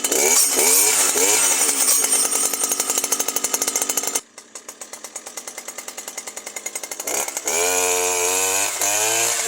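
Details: New Stihl FS 120 two-stroke trimmer that wouldn't start after break-in; its spark plug sparked but gave insufficient ignition and was replaced with a scooter plug. Now a raspy buzz revs up, drops to a fast even idle, then revs again, running cleanly.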